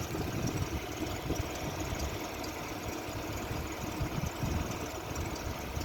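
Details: Renault Sandero Stepway in winter, cold start: uneven rough low rumble with a faint knocking edge at idle, a foreign noise that disappears as the engine warms up; cold-start engine noise.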